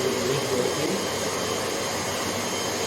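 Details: Hoover HL500PT vacuum, bought as not working, after bending the switch clip so it clicks properly: steady even motor whirr with roller turning, no surging, rattles or cutting out; runs normally, fixed.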